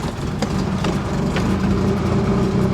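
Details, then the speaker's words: 30-year-old Nissan 240SX S13 just after fuel pump and sending unit replacement, cold start: steady idle with uneven loping beat and irregular stumbles; rough idle persists but no longer dies. "the idle's still rough but usually on startup the car almost always dies because it just drops down"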